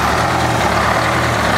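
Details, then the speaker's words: Flxible bus diesel just after a cold start following weeks of sitting: steady, deep, even rumble with no knocks or surges, left idling to come up to temperature; normal warm-up idle. "So she's doing good. She's gonna scavenge for a minute. And she'll smooth out. I'm gonna let her idle there for a little bit and let her come up to temperature."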